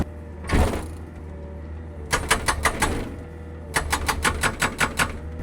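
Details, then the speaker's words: Excavator-mounted hydraulic rock breaker hammering schist, gneiss and quartz bedrock: two bursts of blows about six a second over a low engine drone, slow and weak; a stuck aux pedal, hydraulic strain or the mount is suspected. "Something doesn't sound right. The breaker is hitting slow and not very hard."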